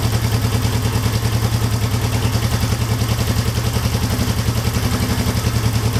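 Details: 1972 Honda CL350 twin during carburetor tuning with one spark plug disconnected, idle set near 1,000 rpm: quick, even put-put idle on one cylinder holding steady speed, air screw set at peak idle, running clean; idle mixture set.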